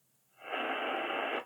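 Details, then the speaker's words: Lloytron AM/FM Bluetooth radio that only ran on mains power: about one second of radio hiss cuts in then drops out; battery contact not making proper contact, giving intermittent power. "So it's not just the fact that that was in there and that would make it not work. Even when you take that out, I mean, it's working there now, but it was intermittent."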